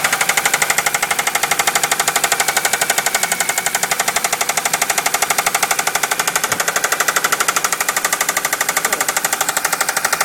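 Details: 1998 Ford Focus MK1 FYDA petrol engine, 230,000 km, idling after three months standing and hard starting: rapid sharp metallic knock, louder after standstill; owner suspects valve seat or rod bearing; resolved by swapping in a used engine.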